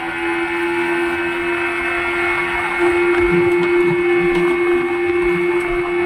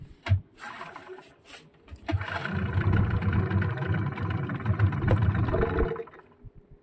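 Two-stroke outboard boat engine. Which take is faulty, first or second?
second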